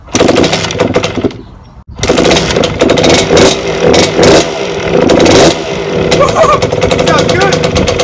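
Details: 1992 Suzuki RM125 two-stroke dirt bike, first start after a five-month rebuild with the carburetor newly installed: crisp blipping and revving that picks up cleanly, though it needs throttle to keep running; engine sounds healthy, and idle still needs tuning.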